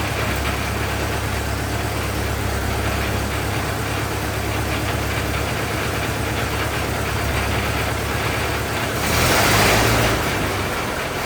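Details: 1927 Ford TT truck, up on jacks, first start with new buzz coils, throttle up a bit; old four-cylinder ticks over at an even, lazy beat with no stumbles or misses, brief rush of noise near end; runs really nice, normal idle.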